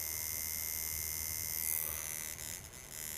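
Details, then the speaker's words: American-made shader coil tattoo machine with rubber between screw and spring, running on very low voltage: fast, even high-pitched buzz with steady tone; running smoothly, normal. "这台机器有不同的声音，因为它是美国的机器它比正常的好。"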